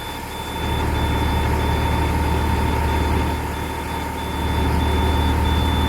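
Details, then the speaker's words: International DT466E diesel school bus just after a cold-weather start, idling while warming toward about 140 degrees: low steady rumble settling evenly under a constant alarm tone and quick chirps; normal cold idle. "And now if you can hear me over the alarm in the engine, I'm going to wait for this thing to get up to about 140 degrees."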